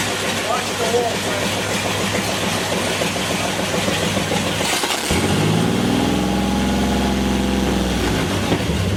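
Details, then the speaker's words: 1932 Ford gasser truck V8 that sat 40-odd years, first run after restoration without coolant or fan belt; starter cranks a few seconds, then it fires into a steady, even idle with about 42 oil pressure. Normal start and idle. "but that's good oil pressure yeah oh that sounded beautiful too how long did that motor set for 40 something years old"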